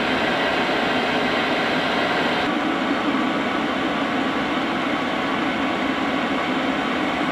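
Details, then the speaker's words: Cheap Chinese diesel night heater from eBay, building up to full capacity over a few minutes as the LCD bars fill: steady, even rushing hum and smooth fan roar with no surging or popping. Normal, clean running at full output. "it's going to keep this process going now so you can hear the entire build up and see when it's working at full capacity"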